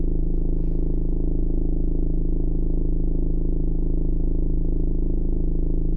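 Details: 2015 Ford Mondeo MK5 estate at idle: steady low droning hum with soft even throb heard in the cabin, passenger side rear; fuel pipes under the left side had come loose from their bracket and vibrate.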